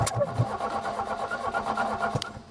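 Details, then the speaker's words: Fiat 125 barn find with a 1.6L twin-cam inline-4, run after years of sitting, with a new rotor button and distributor cap fitted because the old rotor was bent. Rough, lumpy, stumbling idle; timing suspected very retarded, firing at the bottom of the power stroke with the exhaust valve open. "It seems like it's really retarded and it's firing at the bottom of the power stroke. That was what would caused that, because the exhaust valve's open."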